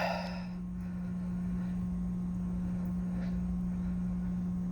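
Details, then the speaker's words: 2009 Chevrolet Colorado 3.7 inline-five with AR5 swap, first start after 10 months following an engine bay fire from an oil line failure, in neutral, key on: quiet, steady low hum, engine off, fuel pump priming normally. "i can hear that thing running don't know if you can on here but let's see what happens"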